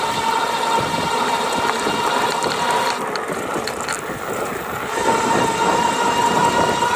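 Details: GoCruiser drive held between 670 and 725 watts: fast uneven metallic rattle over a steady whirring drive tone; a loose or chattering drive part suspected.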